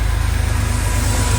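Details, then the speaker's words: 1982 Porsche 911SC Slantnose, sat 20+ years, after a CIS fuel distributor clean, new plugs and fuel filter: a low, even idle thrum with a steady beat and no misses, running smoothly just before shutdown despite heavy smoke. "Sheesh. Wow, this thing sounds good though. It's running so smooth."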